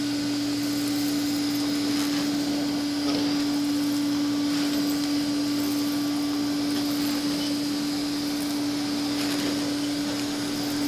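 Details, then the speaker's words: Old Hoover with a gasketed telescoping wand, owned since about 2007–2008; the motor was never or barely lubricated, with nothing done in over a decade. A steady, quiet, even motor whine with no rattles or grinding; normal healthy running. "clicking that together is just part of the experience all right let's fire up the Hoover so quiet"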